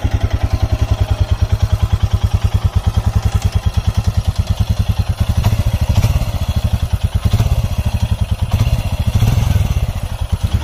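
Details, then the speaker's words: Royal Enfield Himalayan single at idle with a light, quick "kit-kit" ticking over the thump. Tappet noise from valve clearance out of adjustment, described as common on this bike; the fix is tappet adjustment. "आप सुन सकते हैं engine का जो sound है किस तरीके से kit kit kit kit kit kit की आवाज़ आ रही है। और ये टैपिट की जो एडजस्टमेंट होती है जब वो आउट हो जाती है वो साउंड होता है ये।"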